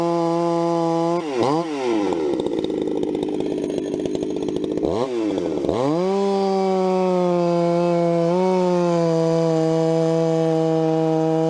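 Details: Vintage 266 chainsaw, recently started after sitting a while, bucking firewood: revs up, then holds a strong steady pitch, bogging only slightly in the cut; clean, even, normal cutting under load.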